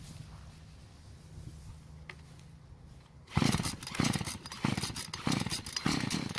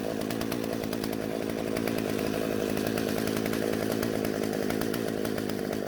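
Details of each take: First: Husqvarna chainsaw that wouldn't start, about 80 psi compression, runs only on mixed fuel poured into the spark plug hole; fires and buzzes unevenly in short bursts, stalls, catches, then fades: fuel delivery fault at the carburetor. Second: Husqvarna chainsaw that wouldn't start, after the carburetor L screw was turned out for more fuel; two-stroke holds a strong steady high buzz with no bogging or cutting out; normal running.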